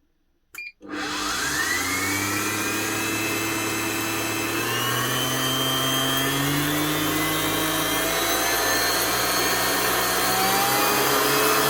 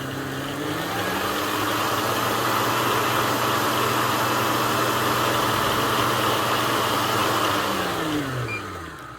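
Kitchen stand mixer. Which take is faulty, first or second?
second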